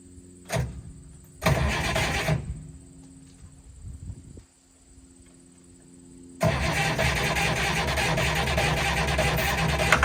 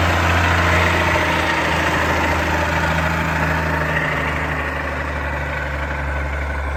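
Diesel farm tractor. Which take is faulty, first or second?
second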